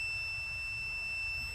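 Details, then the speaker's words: 3.6L Pentastar (Chrysler) no-code misfire: meter continuity test on the cylinder 2 injector gives a steady, unbroken high beep, so that coil and circuit are intact, unlike the open cylinder 4 injector blamed for the misfire. "So I'm going to transfer my connector over to cylinder 2 and run the same test. All right, it's already hooked up. Here we go."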